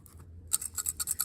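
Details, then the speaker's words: Right carburetor off a 1986 Yamaha Banshee two-stroke lacking full power, shaken by hand: sharp tinny metallic rattles in bursts; a jet has come loose in the bowl. "Now that sounds like a jet or something that came loose. Something sound like it came loose in that carburetor. So you hear the difference. This one sound more looser."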